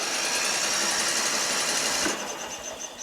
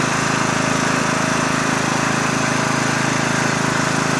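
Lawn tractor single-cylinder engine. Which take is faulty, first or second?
first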